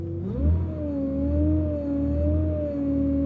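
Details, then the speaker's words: Cheap AU Falcon idling while the wheel is turned: a steady, wavering whine. The steering is very heavy and gets easier when accelerating, so there is a power steering system or pump fault. "It's whining. So there's obviously an issue with the power steering system or the pump."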